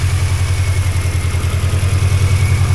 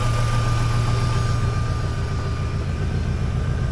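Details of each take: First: 2003 Mini Cooper, first run after long sitting with the immobilizer hot-wired: low even exhaust idle with no stumbles or knocks, about 14 V charging; oil burning off the exhaust at start. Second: 2003 Mini Cooper idling on lift after sitting, first run after immobilizer bypass: thin constant whir above the engine note; owner wonders if it is the fan, later hears fuel pump; source unconfirmed.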